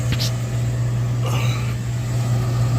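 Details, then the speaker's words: York horizontal 90% gas furnace in crawlspace, no heat, thermostat calling: steady low inducer hum with no burner roar, no flames; locked out, three-blink code for pressure switch stuck open, consistent with a holed pressure switch hose. "My inducer is on, burning hot. But, nonetheless, I can hear the inducer running. No flames."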